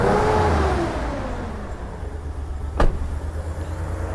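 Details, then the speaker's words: 2003 Hyundai Terracan V6 petrol, started and idling: uneven lumpy beat with irregular stumbles, engine visibly shaking; a constant misfire, apparently one cylinder, present at idle and revving; owner suspects possibly a coil issue. "the car is misfiring and it's shaking uh looks like one cylinder misfire it's a constant misfire"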